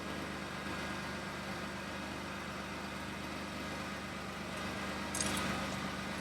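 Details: 2013 Dodge Grand Caravan after replacing the exhaust flex pipe and centre silencer: quiet, even idle with a smooth steady hum and no puffing or ticking, so the exhaust sounds sealed with no leaks.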